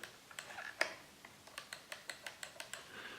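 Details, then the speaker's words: Stihl TS410 cut-off saw that will not switch off, cover removed: crisp light clicks in a quick even run as the stop switch actuates the microswitch by hand, so the switch is not stuck physically; stop microswitch clicking normally. "We need to check that it is getting properly actuated by the switch, the stop switch. So we can hear it clicking on and off"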